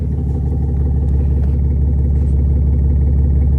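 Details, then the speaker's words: 2016 Ram 2500 6.7L Cummins, tuned and deleted, after adding a PC31 Pedal Commander (check engine light, power loss, black smoke): heavy diesel drone under the hood. The exhaust brake is louder than ever before; mechanic to check. "Never been able to hear it that loud before. It's never been that loud under there. So I'm gonna shut off the exhaust brake."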